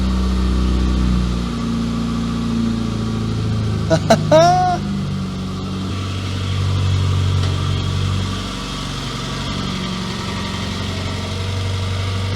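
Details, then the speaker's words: Classic Mini MPI first start after engine reassembly and head gasket repair: steady but fast idle with an even beat, no misses, a bit of oil burning off; idling high, suspected throttle adjustment, not confirmed. "that's a bit of oil burning that's fine it's idling a bit high that has something to do with the throttle adjustment"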